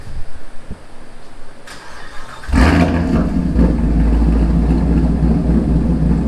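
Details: 2017 Camaro SS 1LE V8 on stock exhaust, before installing 1-7/8" stainless Speed Engineering headers and X-pipe: starter whirr, engine catches and settles into a deep, even burble with clean blips; healthy.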